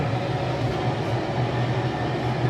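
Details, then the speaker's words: Newly installed automatic float valve (replacing floating-ball type) filling an overhead raw-water storage tank: constant heavy rushing roar with low hum, far louder than the old ball valve, like rain at night; owner considers adding a second valve. "pag fill ng tubig dito sa storage tank talagang malakas. Sa gabi para siyang umuulan, unlike sa dating float valve na ball, may floating ball, hindi siya ganun kaingay."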